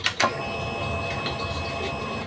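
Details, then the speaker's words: Honda Vario 125 LED scooter with MIL code 12 and hard starting: clicks at key-on then strong steady fuel pump hum for about two seconds, this time loud, though pump priming is intermittent and sometimes weak. "teman-teman bisa dengarkan hm suara dengungnya kencang"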